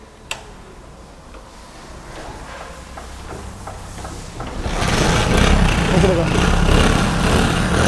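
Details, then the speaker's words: Hero Splendor single-cylinder bike at idle after starting: a tinny metallic jingle rides over the exhaust beat, seemingly something broken inside the silencer, traced to the front bend pipe. "दोस्तों जो झंझनाहट की आवाज़ आ रही है ये देखो, ये ऐसा लग रहा है साइलेंसर के अंदर कुछ ना कुछ टूटा हुआ है।"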